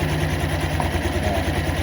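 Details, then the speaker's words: Honda CVT scooter after CVT rework, first start: steady, even idle with only a faint roughness underneath; no knocking from the drive. "Oke, kita coba hidup motornya ya. Tunggu dungu. Halus K suaranya ada suara kotor-kotor."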